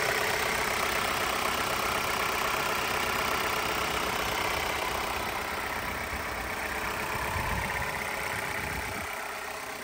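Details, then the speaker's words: 2021 Jeep Renegade Limited, 1.3-liter turbo four-cylinder, at idle: steady idle with a raspy, buzzy edge and fast even pulse, almost two-stroke-like; owner unsure whether an exhaust leak or just this engine's character. "It sounds like maybe an exhaust leak, or you hear like a raspy kind of noise. I don't know if it's just the way the engine is because it's a 4-cylinder. You hear that buzz, that zzz. Sounds almost like a 2-stroke sometimes."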